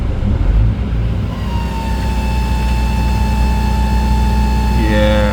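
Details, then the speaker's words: Hitachi heavy machine, gear train low on oil after wrong (Deere) oil used: steady loud howl near one kilohertz rising over engine drone, gone after filling gear train with Hitachi oil. Gear train howl from low oil. "that's not good. Hitachi death howl, baby. Let's just say we found the problem."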